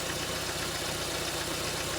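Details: 2011 Ford EcoSport Zetec Rocam engine at idle: uneven, stumbling lumpy beat as cylinders 2 and 3 drop out; misfire, no current to those spark plugs, no coil trigger pulse, suspected broken wire or ECU driver fault.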